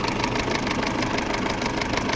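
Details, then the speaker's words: Peugeot 607 2.2 petrol, after timing belt work with camshafts and crankshaft locked and marks checked: steady idle with a faint, regular light tick in time with the engine, some noise still from the timing end; slight knock remains but better than before. "Ну, в этом есть чуть-чуть небольшой стоп. Чуть-чуть."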